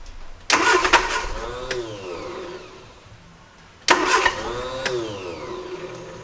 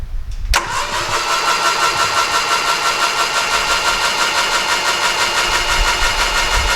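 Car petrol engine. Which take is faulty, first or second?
second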